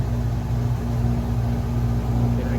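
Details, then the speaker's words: Chevrolet-based Winnebago camper air conditioner after repair; loud, steady low hum with an even drone and no rattles as the fan runs and the compressor kicks in blowing cold air; running normally. "some cold air makes a lot of noise holy crap it's blowing cold air oh that's so good"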